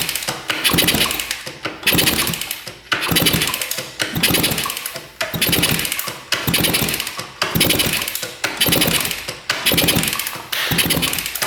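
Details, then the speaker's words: Kawasaki KE100 two-stroke motorcycle that sat 10 years, cylinder lubed with penetrating oil and Marvel Mystery Oil: slow, even kick-over strokes about once a second, smooth compression swish with no piston slap, rod noise or ring scratching; normal turnover. "Let's listen here. That sounds pretty"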